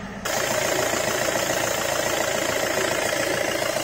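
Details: Suzuki Grand Vitara after replacing worn generator (alternator) brushes: engine catches and settles into a steady, even idle with no squeal, whine or knock; no battery light, charging 14.3 volts; normal idle.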